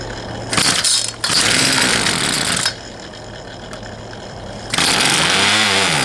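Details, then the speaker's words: Poulan Pro 222 38cc chainsaw, before the repair: it fires and revs raggedly for a second or two, then cuts out and won't keep running. It wants to run but stalls because the fuel lines were routed wrongly; the return line was found missing earlier. "as you saw it wanted to run but it just it wouldn't so did a little digging into it more and some research and realized that whoever plumbed those fuel lines did not Plum them correctly"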